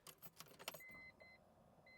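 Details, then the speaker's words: BMW E46 turbo build after re-tapping the fuel pump signal wire: keys jingle, then thin steady high hum as the fuel pump primes with the key on; pump now working normally. "Listen to that. Listen to it. Fuel pump is on."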